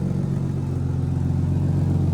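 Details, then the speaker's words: Turbo Barra-powered Holden VT Commodore idling on the hoist, warming up after an automatic transmission service: a raspy, puffing chuff over a low, steady rumble. Exhaust is leaking at several joints. "We're just gonna let it run for a bit, get up to temp. You can really hear how many exhaust leaks this thing has from everywhere."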